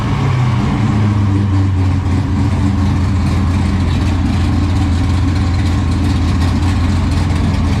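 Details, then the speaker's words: 1969 pro-touring Camaro 496 big-block, previously broken in on a run stand, first start in the car with new exhaust and cutouts open: deep, even rumble with a steady lope and no knocks or misfires. Normal idle. "well there you have it guys the first startup on the 496 in the pro touring camaro"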